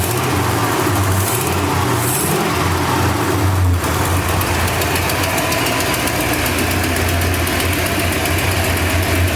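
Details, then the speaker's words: 1968 Ford Torino with new homemade exhaust, running after revival, carburetor not quite right: loping V8 idle with fast sharp ticking in step with firing; exhaust leak at front header, loose header bolt to tighten. "sounds pretty good. Even though it's something up with that carburetor, I got an exhaust leak up front. I have to tighten down the metal bolt. I mean the header bolt"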